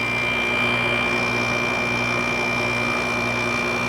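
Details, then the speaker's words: 2006 GE 5150 BTU window air conditioner with LG compressor, cleaned up, started after drying with a hairdryer; smooth even quiet compressor hum with steady fan tone, no rattles or cycling: normal compressor operation. "lg compressor it really sounds nice sounds pretty good really quiet"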